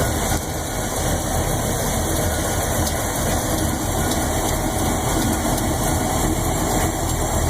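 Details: 400 Chevy, 10.5:1 compression, Lunati Voodoo cam, Performer RPM heads and intake, roller-tip rockers. Light, fast, even ticking rides on a steady V8 idle. Lifter tick on the even-side bank, worse at lower RPM (500 vs 900); lifter adjustment checked twice.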